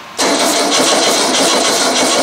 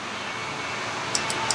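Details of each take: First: Used VW engine sitting on the floor 8 years, very cold December start: steady starter churn about six seconds, no firing, cranking to draw fuel up to filter and fill carburetor bowl before starting. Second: Old VW engine sitting unused eight years, ignition on before cranking, timing about two to three degrees advance: four light, sharp clicks over quiet hiss; carburetor idle cut-off solenoid pulling in and out normally.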